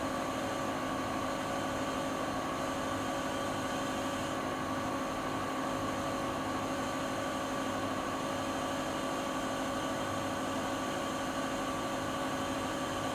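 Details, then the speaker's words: Siemens iQ300 WG41A1X1TR washer (9 kg, 1000 rpm) spinning near top speed, about 72 dB in spin. A smooth, even high-speed whir with a steady motor tone and no thumping or grinding; normal but not silent. "Evet arkadaşlar, makinemiz sıkmasını bitirdi. Sizler de makinenin ses seviyesini görmüş oldunuz. Fakat şöyle söyleyeyim, makine sıfır sessiz değil."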